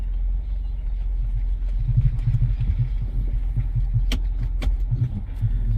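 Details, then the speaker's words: 2005 Lexus RX330 at 229k miles: low road rumble with hard thumps over bumps, the front strut mount clunking; all four strut mounts noisy after sway bar bushings and ball joint were replaced. "that's the front strut doing that I don't know if you can pick that up in video but let's go down here for"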